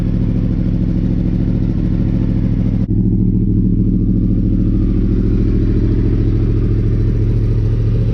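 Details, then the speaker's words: Yamaha R1 with crossplane four-cylinder engine after repairs: deep, smooth, even throb at idle and revs with clean pickup and settle, no knocks or rattles; sounds healthy. "it has like the classic sound of what the Ducatis the original 996 series Ducati sound like but just that little extra since it has two extra cylinders just sounds amazing it sounds mega mega clean"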